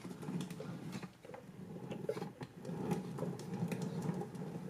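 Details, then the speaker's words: Mazdaspeed 3 manual transmission, removed with engine, turned over in 5th gear: irregular scraping, clicking rattle of loose metal debris inside; gearbox grinding and popping out of 1st–4th gears, noise worst in 2nd or 3rd gear. "Put it in a 5th. That doesn't sound good. And you guys can hear the little metal"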